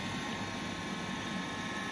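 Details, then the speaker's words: Hoover Dynamic Next DX condenser tumble dryer after reconnecting the heater element that had triggered an error code: no errors, drum spins with a steady even whir and airflow hiss, no knocks or scraping; running normally again. "hit start button and as you can hear there go up to spinning it's working again so that's successful"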